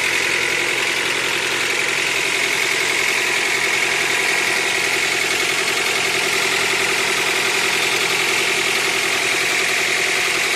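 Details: Honda Accord 8th generation at 63,000 mileage, idling: quick, fairly even tapping about three or four times a second over a bright hiss. Engine knock, cause unclear.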